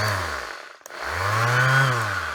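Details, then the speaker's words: Older Bosch sander on a tester: motor spins up smoothly with low vibration, no rattle or grind, winds down cleanly then runs steady again; normal running, healthy sander. "Now that sounds really good. Low vibration, bit of dust come out of it. I think that's a very good sander."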